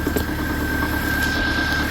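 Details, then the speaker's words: 2003 Subaru Forester at idle after the alternator was replaced, now charging 14.18 V: steady drone with a fine whistle and faint rattle, not a knock; seems to come from the bell housing, possible loose torque converter bolt suspected. "Now this motor is a bit noisy, but it's not knocking, so I'm not quite sure what that noise is."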